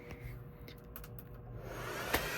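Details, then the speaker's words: Server that was not on UPS battery backup, after a power loss: the airflow rush swells to a loud, steady roar. Fans go to full speed and cannot be throttled because IPMI is not good. "fans are going to go to full speed now and I can't change that cuz ipmi is not PL good"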